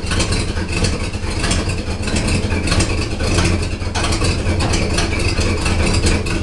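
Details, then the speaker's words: 1979 Oldsmobile Cutlass Supreme with Olds 350 Rocket V8 on hydraulics, cold engine: deep idle with an uneven, lumpy beat of about 1.5 pulses per second. The engine is running rough; cause not confirmed. "Sounds like she's running rough. Huh? She's cold."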